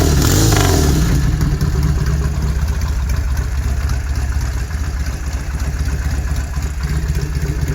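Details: 1971 Norton Commando 750 Roadster, matching numbers, off the road three decades, engine and gearbox overhauled, after refurbishment: deep lumpy twin burble with throttle blips settling to an even beat; normal running.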